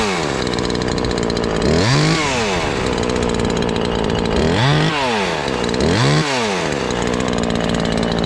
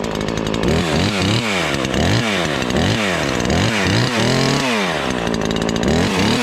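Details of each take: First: Ported Husqvarna 543XP chainsaw, cover off: screams to a high even pitch, dips slightly in the wood and holds about 9,500 rpm in the cut; tune about right, clean healthy run. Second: Ported Husqvarna 543XP chainsaw on first test cuts: revs up and down between cuts with a burbling, blubbery note under load instead of a clean scream; carburetor mixture way rich, still four-stroking, main jet to be leaned.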